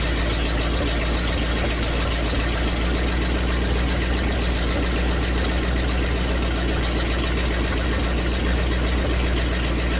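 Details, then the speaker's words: 1956 Studebaker/Packard 352 V8 in a motorhome, previously low compression, test run with downpipes: deep steady V8 idle, smooth and even, no lifter tap or knock, good oil pressure; normal idle. "I think this is gonna be just fine so runs really good no no no noise good old pressure"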